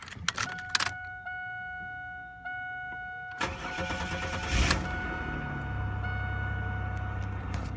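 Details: 1997 Chevrolet Camaro RS, 3.8L 3800 V6, after replacing the damaged cylinder 3 plug wire for a P0303 misfire: cranks, catches and settles into a fairly steady idle with no stumble. A slight miss remained later on hills and hard acceleration.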